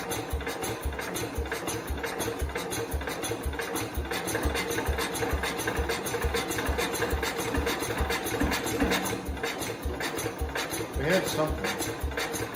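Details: 1969 Cub Cadet 105 single-cylinder after reassembly and a valve adjustment, cranking slowly: uneven coughing and popping that catches briefly but never runs. Better than before, but it still won't run; cause not yet identified.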